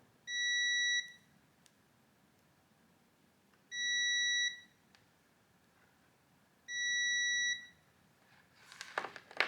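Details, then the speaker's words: 39-year-old Linde 225 MIG welder cable plug, after corroded contacts were cleaned with Dremel and Scotch-Brite: continuity tester gives three steady high beeps, one per contact — good electrical contact, corrosion removed. "so I was able to hear the buzzing on all three contacts that tells me that we've cleaned off all of the corrosion that would have prevented a good electrical contact between the cable and uh the next plug we would go into"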